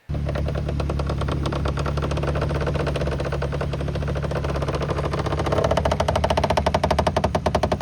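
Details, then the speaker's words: 2024 BMW G82 M4 Competition xDrive on 12.5mm spacers, slowly reversing: rapid scraping ticks that speed up and grow louder as the front tyre rubs the fender liner fins; before fitting the wheel arch clearance kit. "Apparently not, because one day I was going to back into a spot and I hear this loud grind as I'm slowly backing up, and I was like, ooh, that doesn't sound"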